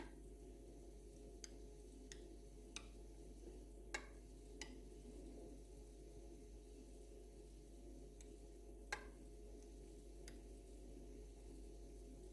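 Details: Two-year-old Atlant refrigerator constantly creaks, cracks and clicks whenever the compressor runs: low steady compressor hum with sharp irregular clicks every few seconds; nothing done under warranty, cause unclear.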